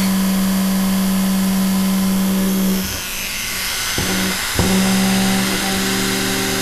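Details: Vintage sewing machine series-wound motor after WD-40 lubrication: steady, even clean hum with one brief dip partway; healthy, freely running motor.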